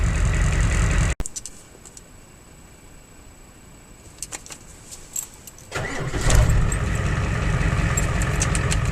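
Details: Ford 7.3 IDI diesel with an intermittent slow crank: the starter turns briefly at healthy speed and the engine catches right away into a steady idle. A normal fast crank, though the owner says the problem returns randomly.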